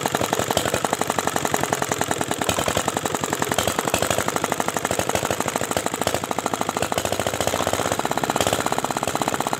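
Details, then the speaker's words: R175 (Dongfeng) diesel previously dismantled by its owner, just refilled with oil and water: hard rapid knocking whose pace and loudness waver; injector timing adjustment didn't help and it stalled; uneven running, hunting speed. "lihat sobat diesel ternyata gasnya tidak rata ya"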